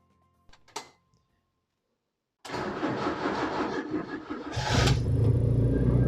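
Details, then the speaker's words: Holed exhaust before replacement, engine started and idling: cranks and catches into loud, deep, blatty rumble far rougher than a sealed system, recorded to compare with the new exhaust; exhaust leak. "Chose qu'on peut faire, c'est démarrer pour se rappeler le bruit que fait cet échappement avant de le changer."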